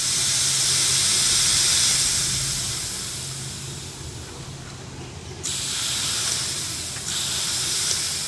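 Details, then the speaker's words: Chevrolet Silverado/GMC Sierra 2019-up helper air bag install, inflating the bags: loud continuous high hiss fading as pressure bleeds off, then jumping back; leak found at the T-fitting where the bumper fill line joins. "I got a leak. It's coming right. It's bleeding right back off."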